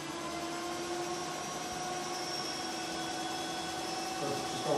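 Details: 1978 Kawasaki KZ200/175 DIY-converted to a 4000 W electric hub motor, wheel spinning in the air with no load, speedometer climbing toward about 45 mph: quiet, even electric whine with steady tones, no grinding or clicking. Normal motor whine.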